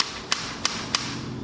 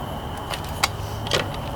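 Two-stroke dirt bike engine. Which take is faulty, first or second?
second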